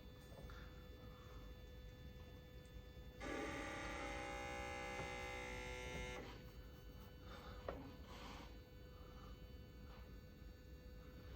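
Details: Rinnai RL75i tankless water heater, about 10 years old, after an Error 11 repair with sensors reconnected and gas and power restored: a steady buzzing tone over a low hum for about three seconds, then a clean drop-off, a normal power-up cycle; it then ran hot water with no error.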